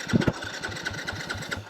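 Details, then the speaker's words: 2022 Yamaha WR250F, warm after about 5 miles, had been backfiring and is often slow to restart hot: electric starter churns about five compressions a second but the engine never fires; crank-no-start, cause unknown. "oh it's not [ __ ] firing at all I'm up in the middle of [ __ ] nowhere and my bike's not firing"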